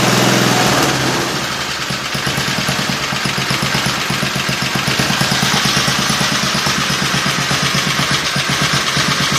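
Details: Small single-cylinder engine (60,000 series) for a mini bike build, valves set 5–7 thou intake, 9–11 thou exhaust: quick steady popping beat, keeps running after catching, no knocks; runs fine, may need more tune-up.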